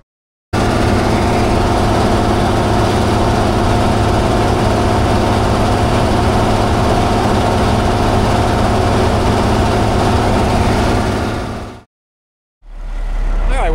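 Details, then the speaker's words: Cat 651B scraper repowered from a D346 to a Cat C15 six-cylinder turbo, being diagnosed for low power. Loud, harsh diesel idle while building air, with a sharp ticking puff on each firing pulse: exhaust manifold leak, likely causing low boost. "I'm going to go get some ear plugs cuz that thing is really loud if this exhaust leaks."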